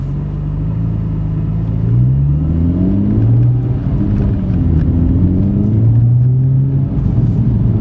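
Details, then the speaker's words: VF Stage 2 supercharged car, third gear, floored from 2,000 rpm: deep pull surging and stumbling unevenly instead of rising smoothly; jerky low-rpm full-throttle shudder, first drivability issue seen on this car. "Floor. Oh, geez. That jerkiness was actually the first drivability issue I've seen on this car."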